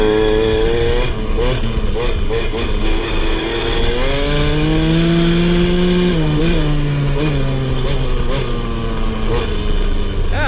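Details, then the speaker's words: 2003 KTM 50 Mini Adventure two-stroke, choke off, on a test ride. The pitch climbs smoothly through the revs and drops back cleanly with no bogging or misfire: a normal rev-out with seemingly no tuning needed. "it revs out pretty clean, actually. I don't even know if we'll have to do any tuning on this."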